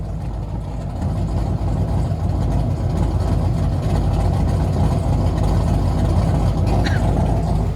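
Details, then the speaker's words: Doug Rippie LT1 383 stroker V8 (originally 1995 Corvette, 4.040-inch bore, flat-top pistons, original heads and mild emissions-legal cam) on engine dyno: deep, steady idle with gentle lope about three beats a second, good vacuum; normal. "the Doug Rippy well that's a nice lope but it's not a big lope well let's listen to"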